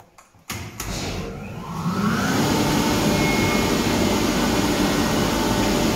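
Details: Kaeser ASK 35 screw compressor, built 2013, fully serviced, 3,000 hours, up to 11 bar into a 1,000-litre receiver: motor kicks in, settling within two seconds to a steady even air rush and hum, no knocks; healthy.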